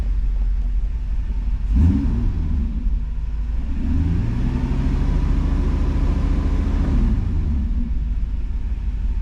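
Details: 1991 Mercedes 500SL, 39,000 miles, recurring high idle after two new idle control valves; restarted warm after 10–15 minutes at about 82 °C. Engine catches and settles to a steady, even low idle with no hunting. Normal warm idle.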